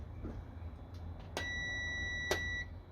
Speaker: so first you hear that diaphragm clicking and then you hear the circuit closing by the sound made by the multimeter so that tells us the pressure switch is good